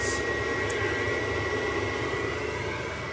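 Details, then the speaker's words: Ferroli Optimax 25C combi boiler with no hot water or heating, fired in service mode: steady airy fan rush with an even burner hum, no rattles or surging; boiler firing normally, flue temperature sensor suspected. "so that tells me the boiler is actually working so what is the problem"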